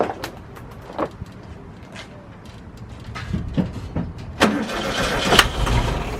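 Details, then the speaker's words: VW Bus first start, oil at full, fired on starter fluid: slow uneven cranking with brief catches and puffs that die away; no gas smell at the carburetor and a fuel leak found underneath, fuel starvation. "You saw it started up and ran for a second. I didn't smell any gas coming from like the carburetor."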